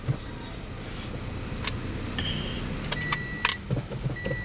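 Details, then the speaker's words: Toyota Vios petrol engine, complaint of rough idle rising and falling: after cleaning and repairs, the idle is low, steady and healthy but still slightly high. "Moment of truth kung gaganda ba Menor sa mga ginawa natin aan Ah medyo mataas pa yung Menor mas mas masarap kalohan yan"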